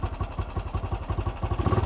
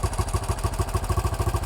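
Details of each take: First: 1968 BSA single-cylinder motorcycle with new carburetor, idle screw turned up before mixture adjustment; runs on its own with even, regular thumps at a steady pace, no hunting; idle now set correctly. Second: 1968 BSA single with a newly fitted carburettor: thumping at roughly seven beats a second, with the throttle held so it doesn't stall. It won't hold an idle on its own until the idle screw is turned up.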